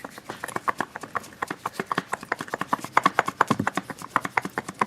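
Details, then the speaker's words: Loose automatic transmission removed from demolition derby car, separated from torque converter and drained: quick, light uneven clacking knocks about eight per second from inside; owner unsure whether the internal clunking is normal. "I don't know a whole lot about transmissions especially automatics I don't know a whole lot about them but something that I don't know is right or not is there some clunking inside here I"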